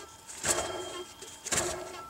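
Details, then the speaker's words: 2007 Toyota Yaris with engine noise, belt off, water pump pulley hand-spun: dry, gritty rasping roll from a worn water pump bearing; alternator spins normally; no coolant leak; pump replaced. "it sounds really dry. It's got kind of a dry roll to it. So in this case, the noise is the water pump."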